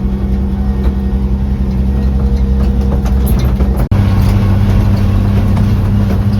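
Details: 1956 International S-160 4x4 six-cylinder idling low and uneven with a wavering beat and a brief dropout, close to stalling. This follows the accelerator pump repair, with one vacuum line still disconnected. It wants to die with the choke off and needs further timing.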